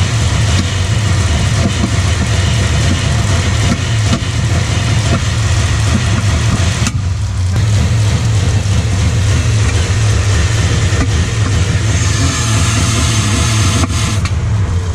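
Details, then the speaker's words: 1996 Dodge Ram 1500 5.2L Magnum V8 2WD, code P1391: idles fine, rough around 1600 rpm, stumbling misfire above 1700 rpm that worsens with throttle; clicks are injectors; ECU swap did nothing; fixed with a different-brand quality cam/crank position sensor. "Si j'essaie d'obtenir plus de 1700 tours par minute cela ressemble il y a des ratés causés par le manque de carburant ou une étincelle manquante."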